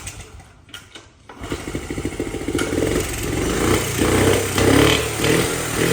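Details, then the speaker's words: 1979 Honda Z50R chopper mini bike found stored among snowmobiles; the small single catches after a few kicks, then revs unevenly with sputters and pops. They suspect popping from the intake; vacuum leak and lean running suspected, valve adjustment also considered. "all right I don't sound so good to me these are bad for uh yeah I'm wondering if it's coming out a uh intake that popping together"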